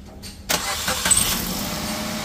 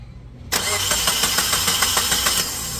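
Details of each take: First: Maruti Suzuki Wagon R petrol, after fixing months-long cold long-cranking start problem, cold start after sitting six days: starter catches at once and settles into a steady even idle within a second; normal prompt start. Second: Maruti Suzuki Wagon R petrol engine, hot restart after reaching about 92 degrees and sitting off for 20 minutes: starter cranks steadily about three turns a second for nearly two seconds before catching; long-cranking start delay, no check-engine light or fault codes, cause suspected in cylinder head valves.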